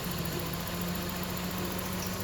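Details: Toyota AT190 with a 4A-F petrol engine, after replacing the fuse box that had caused a no-start: steady, even idle with a low drone and no misses or knocks; engine running normally.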